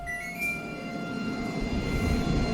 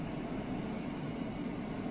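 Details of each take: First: New Midea HC-689WEN side-by-side refrigerator-freezer at first startup: the fan gives a constant high-pitched whine, several steady tones over a low hum. The noise was completely gone about an hour later. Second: Midea HC-689WEN side-by-side refrigerator-freezer about an hour after first startup, once the earlier high-pitched fan whine had gone: only a soft, steady rush of air with a low even hum, quiet and normal.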